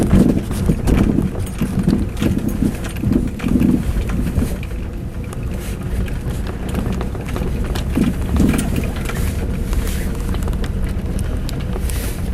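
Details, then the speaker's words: 4-year-old Mazda 6 rolling over bumps with a right-front suspension knock: irregular dull thuds through road noise. Strut silent block and upper ball joint were replaced, the reaction rod disconnected, and the knock is unchanged. Source still unfound. "Передняя подвеска, правая сторона, стучит. Мастера ищут, не могут найти."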